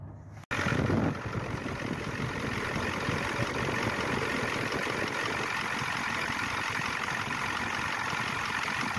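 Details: 1994 Ford F250 turbo IDI diesel started after replacing fuel injection return lines and O-rings, air cleaner off to check leaks: catches and settles into steady, even clatter with no misses or hiss; normal diesel idle.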